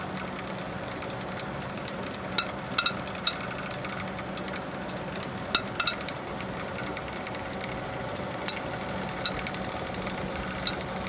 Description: One of the case fans in my home server has started making clicking and ticking noises, and visibly wobbling on its axis. Thankfully those noises are from the fan and not a hard disk!